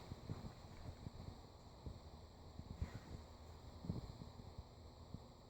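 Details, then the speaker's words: Cheap ceiling fan on medium speed: scratchy, crackling rumble like water running through pipes over a low hum; owner suspects bearing noise. "it's got a little bit of a hum you can already hear the bearing noise medium"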